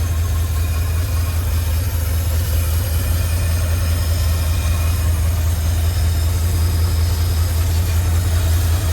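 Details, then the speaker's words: Barn-find 1952 Cadillac Series 62 V8 running again after decades, following fuel-delivery fixes: it started easily and settles into a deep, steady, even burble with no knocks or misses. Healthy idle. "Well, I got to say that started pretty easy. I think she's going to be a reliable starter for somebody. Sounds really nice."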